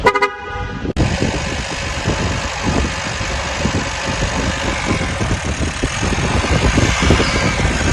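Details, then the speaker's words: 2018 Chevrolet Malibu with GDI: it cranked but would not start, with no scan codes and good coil current. The jammed high-pressure fuel pump had damaged the cam. After fitting a used pump and new seal, the engine starts instantly and idles steadily with no missing. "ये जी अल्हम्दुलिल्लाह हमारी गाड़ी बड़ी ज़बरदस्त किस्म से स्टार्ट है, कोई मिसिंग नहीं, अल्हम्दुलिल्लाह सब कुछ ठीक है।"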